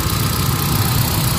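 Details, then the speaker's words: Hyundai Accent petrol engine at a steady, even low idle with no stumbles or vibration after repair of a misfire (P0300, P0301, P0302, no spark on cylinder 1); the check engine light has cleared. "Wala na siya vibrate. So okay na."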